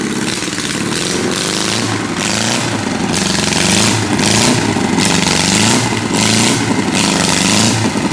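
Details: 1976 US military surplus 32 cubic inch four-cylinder generator engine: engine speed surges and sags about once a second, revs never settling; sounds good but the governor is hunting.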